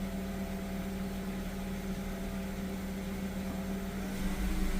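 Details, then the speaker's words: BMW E36 328i running: steady tone over engine hum and the radiator fan kicking in, no rhythm change; owner suspects the power steering pump, cause unconfirmed, louder inside the car. "I still can't figure out why my power string pump is making this noise. And the question is, is this normal?"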